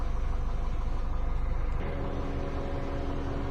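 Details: 2011 Mini Cooper S, no turbo, engine bay, misfire fault code before repair: low idle with uneven stumbling pulse three or four times a second that settles later; one cylinder dropping out, coils to be swapped to confirm faulty ignition coil.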